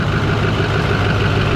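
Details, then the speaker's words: Rebuilt LMM Duramax diesel, 1000 WHP single cab, about 800 break-in miles on the fresh engine, before its second oil change: deep steady diesel rumble at even cold idle with no knocks, misses or ticking; running well. "a little cold start but other than that oh she she's running good she sounds good ain't too bad"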